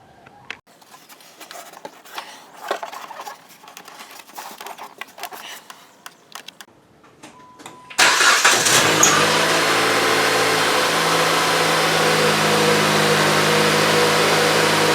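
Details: Chrysler 2.4L after replacing the spark plugs, ignition coils and rodent-damaged connectors for P0301–P0304 misfires: the engine cranks, catches at once and settles into a steady, even idle; normal start and idle.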